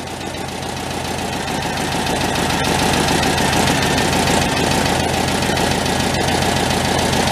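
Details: Homemade tractor powered by a 1967 VW air-cooled four with oil leaking from the bottom, at a slightly raised idle on choke with fuel possibly running out: an even, steady putter with a fast regular beat, smooth and without knocks.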